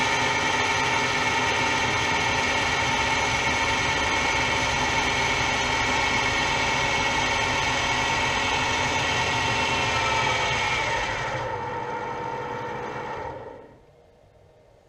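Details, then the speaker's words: Gear cutting on a lathe, using a tap to cut teeth into a small brass or bronze piece, with a screw driving the worm wheel. Steady, even tooth-cutting chatter about 214 a minute with no snatching before it winds down; normal, clean cut. "ce que je vais essayer de faire c'est que je vais essayer de me mettre en volet on va voir ce que ça donne"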